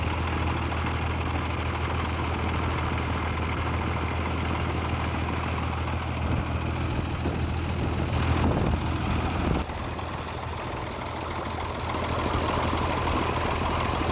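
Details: M35A2 diesel after cylinder liner repair, rocker reinstall and final valve clearance adjustment: steady low idle with even, fairly quick clatter and no odd top-end ticking; sounds healthy.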